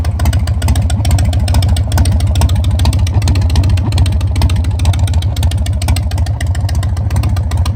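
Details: 2001 Harley-Davidson Sportster 1200 custom V-twin that sat about three years, started with fresh fuel: deep, loping idle about 140 beats a minute, lumpy but steady with no knocks; runs fine.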